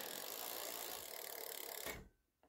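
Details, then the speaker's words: Lankeleisi X3000 Max fatbike, dual 1000 W hub motors: steady light freewheel ticking with crisp shifts through all 7 gears, no grinding or chain chatter; derailleur well adjusted. "donc là première c'est bon hop je passe la seconde impeccable 3è impable 4e impeccable 5è impeccable 6e on est toujours bon et la 7è et ben il est bien réglé"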